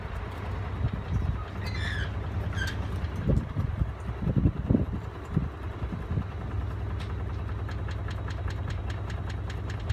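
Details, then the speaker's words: Miele W418 washing machine, possibly overloaded, on final spin: heavy low rumble with repeated thuds building as the drum reaches full speed; loud, unbalanced spin, cause unconfirmed. "It's gone on to final spin now. The light's there. It's over here on this side. Go. A little bit of noise."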